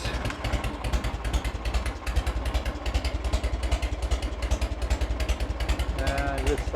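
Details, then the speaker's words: 1986 Harley-Davidson Heritage Softail (first year), 29,000 original miles, first start after 10+ years off the road, carb serviced: lumpy, loping V-twin beat at slow steady warm idle, no misses or rattles; runs healthy, oil spilled from cap. "she's gonna smoke after she warms up a bit here but let's see what we get now on killer oh that's a good sound right there"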